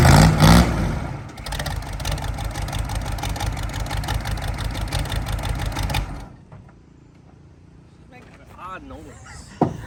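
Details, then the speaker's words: CUCV squarebody Chevy diesel truck running with a heavy, regular knock near three per second that follows the revs, then shutting down. The owner first thought flywheel, now suspects a rod about to come out of the side of the block. "why when it started making that noise I thought maybe it was a flywheel when it didn't move it's making a very odd noise I mean it's probably not really that odd it's probably got a rod getting ready to come out of the side of the block"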